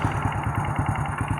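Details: Honda Supra Fit motorcycle running at idle, with a complaint of knocking at the right-side crankcase: regular heavy knock about five times a second from deep in the bottom end. The crankshaft is worn and wobbling.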